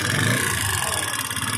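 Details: TVS Apache RTR 160 BS-4 with fuel tank and seat removed, before tappet adjustment: single-cylinder idle with light valve-gear ticking and a weak, uneven beat; compression is low and the tappets are set too tight.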